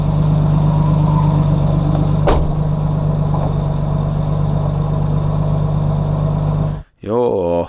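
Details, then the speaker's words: BMW E30 with turbocharged M52 at a track day, idling after being pushed harder: light quick tick about three per second over the hum, lifters ticking loudly; oil dripped on downpipe. "Something wrong in the car. What happened? No idea. Lifters started making loud noise."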